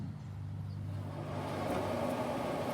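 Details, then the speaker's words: Z Grill 7002E pellet grill upgraded with a Smoke Daddy PID controller, set from about 164 to 225 degrees: a soft airy whoosh builds steadily over a low hum as the combustion fan kicks in; normal fan start. "hear the fan kick in. So the PID says, hey, you want 225?"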